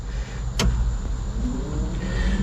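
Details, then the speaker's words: 1970 Chevrolet C10 replacement A/C blower motor: steady, even whir with no grinding, rattle or squeal; new blower running smoothly and healthy. "oh yeah you can hear it yeah buddy heck yeah"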